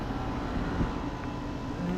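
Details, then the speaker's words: Four new Goodman condenser units outdoors, two running: low even hum with soft fan rush, no rattles or knocks; normal running. "Here's four new Goodmans at the park haven. Running. Sounds nice."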